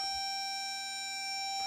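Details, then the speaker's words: Reverse warning alarm on a VEX Hex Bug dump truck (micro:bit with Superbit motor driver, Bluetooth app control) won't turn off after forward/backward drive commands; steady high-pitched electronic tone stuck on due to a code problem. "go forward go backward and I can't turn that sound off"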